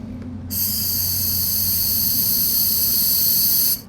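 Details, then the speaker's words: Heat pump charging: purging air from the liquid-line gauge hose by gently opening the valve gives a sudden steady high hiss for about three seconds, audibly different, then stops sharply. Normal refrigerant purge hiss. "I'm gonna purge the air out of the out of the lines right here with this valve shut I'm gonna go ahead and open this up and I'm just going to just gently okay so you can hear the noise difference right there"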